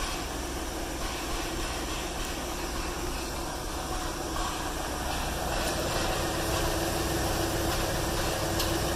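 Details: Mercury Villager/Nissan Quest after a DIY fuel injector replacement: a smooth, even idle with a steady low hum and no misses, ticks or knocks, running normally. No codes read afterwards.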